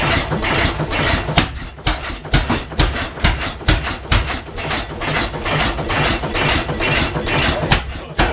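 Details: 1912 12 HP Goold Shapley Muir hit-miss gas engine, first run in about six years, just started: regular pops about twice a second with little coasting instead of hit-and-coast; running rich, suspected fuel opened up, or maybe just cold.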